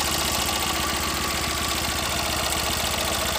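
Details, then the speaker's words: 2012 Tata Nano petrol engine idling steady and even after replacing faulty spark plug (code) wire with one from another car; previously misfiring, jerking, check engine light on, weak pickup. "तो friends ये code wire हमने दूसरा गाड़ी का लगाया तो गाड़ी okay हो गया है।"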